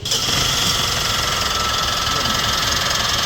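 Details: Mitsubishi Montero Gen3 engine running after alternator refit: loud steady high-pitched whirring drone over idle, noise got louder after a previous repair; traced by removing belts to a worn belt idler pulley bearing.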